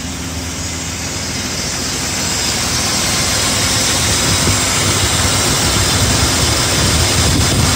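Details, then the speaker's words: BMW E34 M50 after an oil change to Castrol 5W-40, engine possibly still warm after a drive, air above freezing: steady, even idle with a smooth low hum and no hydraulic lifter ticking; to be rechecked cold in the morning. "как вы слышали компенсаторы не стучат но это еще надо утром на холодный проверить"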